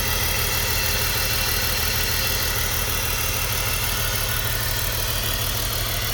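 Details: BMW E46 running rough with code P1347 (cylinder 3 misfire): steady idle with an uneven, lumpy low pulse about three times a second, one cylinder misfiring.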